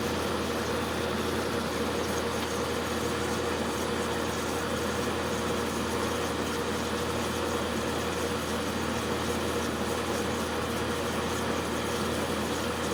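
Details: Magic Chef dehumidifier: steady low compressor hum with fan hiss, running evenly after a restart; compressor cuts out about every two minutes then restarts, repeating; short cycling, cause unknown.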